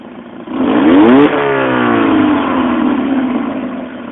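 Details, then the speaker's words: Mazda 1.8 L BP after adjusting throttle body idle air bypass screw for stumbling idle: quick blip, revs fall smoothly and hold steady idle with no dip or surge; fix worked. "see that's better it should just as soon as it down revs it should just hold there it shouldn't go down and back up at all"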